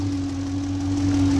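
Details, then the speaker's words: 2007 Ford Expedition 5.4 V8, cold weather: steady high whine over the idle beside a separate ticking, holding even pitch; owner first thought power steering pump, finding is worn alternator bearing. "You hear that noise in the background? Not the ticking, but the whining."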